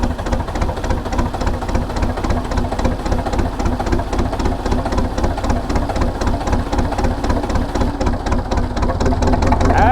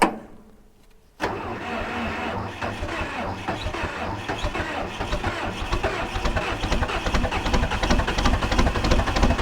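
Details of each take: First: Diesel cold start on a brisk 52°F day, heard near the exhaust. It is reluctant to start in the cool weather, then settles into a steady low chugging at about four pulses a second that slowly firms up. Normal diesel idle after a cold start. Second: 1980s bulldozer diesel with no glow plugs, cold start at 52°F: silence, then the engine catches with a loud, ragged, uneven clatter that slowly firms up; reluctant to fire in cool weather.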